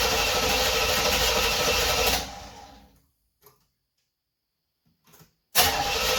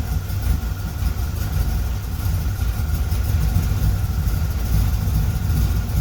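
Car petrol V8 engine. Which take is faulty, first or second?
first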